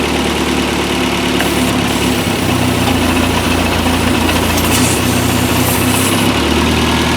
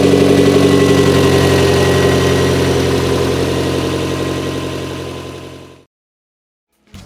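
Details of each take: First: Toyota MR2 with newly installed 3S-GTE turbo engine (CT26 turbo), warm, at idle in earlier clips: loud steady idle with a loose irregular metallic rattle; rattle later gone, source not stated. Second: Toyota MR2 with newly installed 3S-GTE turbo engine (CT26 turbo), days later once completed: even steady idle with no rattle, then switched off and winds down smoothly; running good, 22 inHg vacuum.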